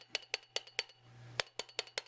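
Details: Ford Model A loose hub cap rattle: sharp, bright metallic clinks about five a second against the wheel. Planned fix is seating a big rubber band behind the hubcap, between hubcap and wheel.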